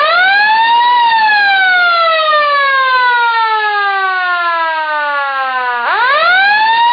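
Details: Sireno M1 siren first power test after repairing its non-working motor: winds up to a high steady wail, slowly falls in pitch as it coasts, then spins back up; motor runs smooth and healthy.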